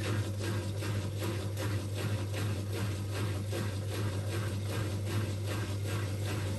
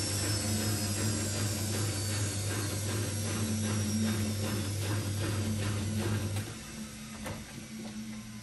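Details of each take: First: Old Migatronic W1 1613 washing machine, first test wash after rebuild (new stainless drum spider, new bearings), unused about a year. Low steady hum with rough rhythmic pulse a little over once a second as drum turns; owner suspects motor may be going, unconfirmed. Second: Old, heavily rebuilt washing machine with custom stainless drum spider and new drum bearings on first test wash: steady low hum with soft rhythmic swish as drum turns; odd noise resembles bearings but is just the motor, normal.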